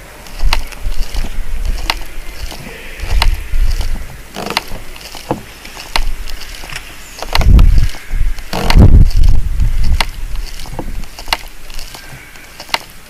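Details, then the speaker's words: Glider tail being loaded by hand, about 10–15 kg on the pin, microphone against the fuselage side: irregular sharp cracks and dull thumps, a cracked fuselage creaking under strain. "can you hear anything g yes right i can hear it creaking so we've got this we've got this microphone against the side here let's see if we can record the the creaking"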